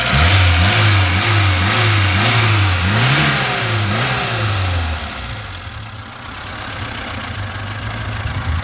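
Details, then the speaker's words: VAZ-2106 with a fully rebuilt engine, just started, revved near the exhaust: smooth, clean rises and falls in pitch with each blip, settling back evenly, no knock or rattle, quiet, no smoke from exhaust or breather; healthy. "ходімте тепер до вихлопної диму нема автомобіль працює тихо набираємо"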